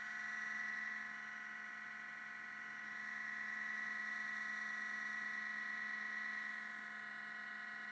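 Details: MacBook Pro at startup with steady electric buzz-whine, stacked tones near 200 Hz and 2 kHz; sometimes hangs at blue screen before login, Apple store found nothing wrong. Abnormal buzzing/whirring, cause unknown.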